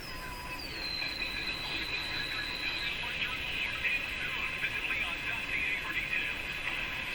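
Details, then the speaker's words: Sparton Model 5049 radio with IF stages peaked, tuned down away from oscillation: shrill whistle sliding down in pitch to a hissy, boosted squeal. The set sits in the regenerative zone just short of full oscillation. "It's actually in the gray zone. It's in the regenerative. You have no oscillation. Then you have regeneration. And then the full oscillation."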